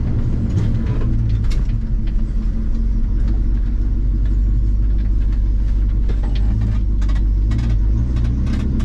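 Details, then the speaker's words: 1974 Ford F100 4x4 with 390FE big-block V8, driving in second gear into the four-barrel: deep rumble surging and stumbling under load, breaking up on acceleration. Owner suspects the carburettor. It improved and stopped smoking after more driving. "I think it's still breaking up some that may be car breaker I don't know"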